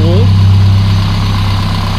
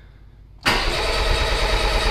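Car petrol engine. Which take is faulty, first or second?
second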